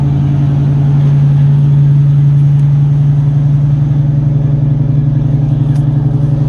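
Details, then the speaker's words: Carbureted Fox body with two chambered Flowmaster mufflers (2 or 2.5 inch, owner unsure), cold start after sitting, needed several pumps: deep steady V8 burble, even rhythm, no misses, healthy cold idle. "got you guys the cold start remember it's got two chambered flowmasters on it two and a half inch or two inch"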